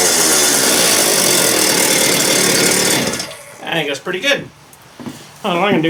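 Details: Just-rebuilt two-stroke cut-off (quick cut) saw: a loud, steady high-pitched scream held evenly for a few seconds, then shut down; it runs strong and healthy.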